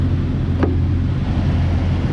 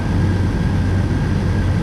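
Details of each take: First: Cold-started 26-year-old Jeep Wrangler TJ at idle: a steady low drone with a faint tinny buzz as the muffler's outer shell, unhooked from the inner shell, rattles; the noise stops once warm, and replacement of the muffler and exhaust pipe is planned. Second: 1999 Jeep Wrangler TJ, 4.0 inline six, after EVAP hose fix cleared check engine light: deep steady even rumble with no knocks or ticks; normal idle.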